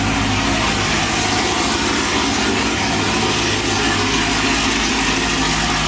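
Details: Car with headers and a 3/8 exhaust running straight out through an MBRP setup; loud, raspy, steady idle with a strong low rumble and hiss and no knocking, just the open exhaust.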